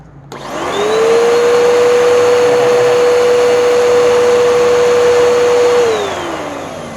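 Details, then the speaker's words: Filthy curb-find Bissell Powerforce Helix vacuum running with a very stretched, visibly vibrating belt, motor spinning up to a steady even whine and winding down, no rattles or grinding; fully functional, needs teardown and cleaning. "but what we have here is a fully functional vacuum oh it's really dirty it needs a complete teardown and in cleaning"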